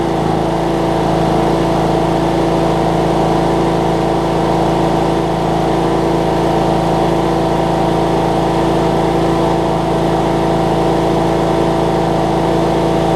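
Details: Cub Cadet riding mower, Kohler Courage single-cylinder engine, just after HIPA carb kit replaced a carb that leaked all its gas out: steady even beat at constant speed, no surging or misfires; normal running.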